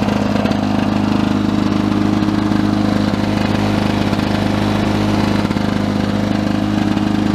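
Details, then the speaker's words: 1982 Lawn-Boy 5126 mower, OMC F-380 two-stroke engine, first start of 2017 outdoors at about 17°C with wind noise: steady, constant-speed buzz with no misses or knocks. Nothing wrong, running normally. "nice love got to miss that sound"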